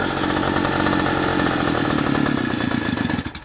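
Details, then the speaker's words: Stihl FS300 two-stroke strimmer after years in a shed, carburetor diaphragms found brittle and stuck letting too much petrol through: crisp, even buzz holding steady, then dying smoothly when shut off with the choke; runs cleanly. "the engine runs a dream the problem with it was the carburetor the little diaphragms were obviously too brittle and they were stuck where they were letting too much petrol go through"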